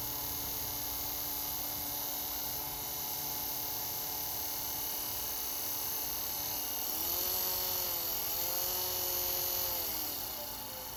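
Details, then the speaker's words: Old (roughly 40-year) USPS LLV postal vehicle fan after restoration, washers refitted: steady whir with ringing hum bending in pitch as speed shifts; abnormal motor noise persists, owner unsure, maybe coil washers not straight; louder on recording than in front. "like the sound is loud, but it's really not when you're in front of it."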